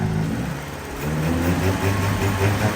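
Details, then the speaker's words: K11 Nissan Micra Turbo after engine swap, genuine first start of the replacement engine: picks up smartly from idle and holds a clean, even note with no knocks or misses; normal revving. "yeah yeah oh she sounds sweet"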